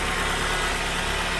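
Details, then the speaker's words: Engine idling steady and even with no hunting, surging or stumble after a new air box was fitted and codes cleared; problem previously appeared about a minute after start, now runs smoothly, confident the old air box was the issue. "i'll tell you what that sounds pretty darn smooth i'm confident that was the issue before"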